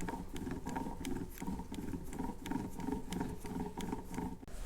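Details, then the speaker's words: 2012 Subaru 5-speed manual transmission, disassembled, gear turned by hand: rough gravelly growl pulsing about three times a second, lateral play in the gear; worn gear bearing, not the suspected shaft bearing, believed to be the source of the noise. "I'm sure you can hear that on camera, because there's a bunch of lateral play in it. I'm going to assume that that should not have that play in it there."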